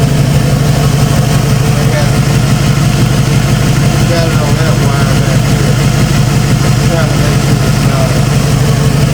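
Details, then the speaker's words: 1995 Ford F-150 V8 barn find: a loud idle with a faint stumble about twice a second, a mild misfire slowly fading. The owner believes it is carbon buildup around the valves, after bad plugs and weak spark from the distributor cap and rotor; cause unconfirmed. "that little miss it had is slowly going away I believe it's just carving buildup around the valves where they were running"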